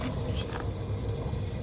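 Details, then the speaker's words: 2015 Dodge Ram 1500 Hemi with a lift kit, front end jacked up in two-wheel drive with the front wheel spun by hand: a low, steady rumbling growl from a bad wheel bearing. "you hear that quick quick is the bearings yeah he Co guys that's your wheel bearings that's your noise you hearing"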